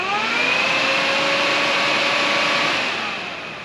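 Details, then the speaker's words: Cheap eBay aftermarket radiator fan for a 1998 Mitsubishi Eclipse GSX: thin whir rises slowly in pitch, holds a hiss-like hum, then fades; no torque, slow spool-up, quiet enough to talk over. "this on the other hand no torque very slow spool up move some air they don't get that loud i can talk over this thing i couldn't talk over the other one"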